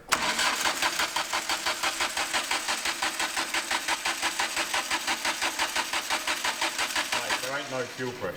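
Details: Mk2 Ford Fiesta sleeper with fuel in the tank, cranked to get the pumps going: the starter turns in steady pulses, about three a second, and never catches; crank no start.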